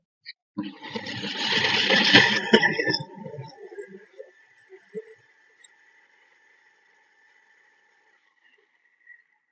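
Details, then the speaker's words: 0.5 HP Tullu water pump motor roaring harshly for a couple of seconds, then a thin high whine fading out; worn bearings and water seal, also delivering little water; fix is replacing both bearings and the water seal. "तो आपने सुना motor बहुत तेज आवाज कर रहा है।"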